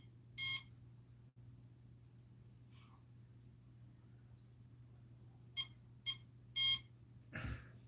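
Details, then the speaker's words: Castle Mamba Micro X2 ESC with 1010 4400 kV motor and SLR300 receiver in a Typhon Grom: sharp high beeps in uneven bursts that keep repeating after power cycling, failing to bind to the radio. "Turn it off. Turn it on. We're still beeping. Should I pull the bind plug out? Nothing's working."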